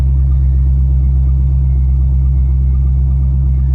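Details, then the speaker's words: 2001 Corvette Z06, 146K miles, cold start: deep even V8 idle, no knocks, ticks or misses; oil pressure 46 psi cold, good. "So I'm going to go ahead and do that now and fire it up. So everything cleared okay. All right, car fires up okay."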